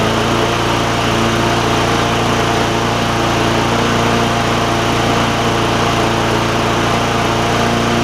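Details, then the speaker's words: Bolens push mower, Briggs OHV engine, after running very fast: loud single-cylinder drone held at high speed with slightly uneven beat; still not running right governor-wise, cause unconfirmed. "Still doesn't seem like it's running like it needs to governor wise, but that's okay."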